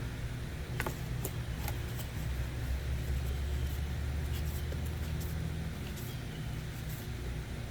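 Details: Toro zero-turn mower that only clicked despite new solenoid; starter was locked up, freed and now working, new air filter fitted: engine catches and settles into steady, even low rumble with a few light clicks; normal start and idle, starter still failing.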